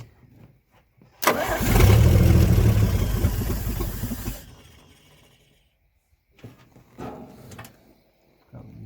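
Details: 1954 Chevrolet 150, long-sitting, after the carburetor was remounted with the float bowl filled and the starter jumped: cranking catches into a loud, rough rev for about three seconds, then fades; cold start runs only with choke on.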